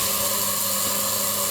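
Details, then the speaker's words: DIY siphon-nozzle waste oil burner on the small compressor, oil supply solenoid switched on: steady air hiss with thin high whine and no flame catching; burner fails to ignite, cause unknown. "then I have added a solenoid to the oil supply so I can turn out on and it didn't light for some"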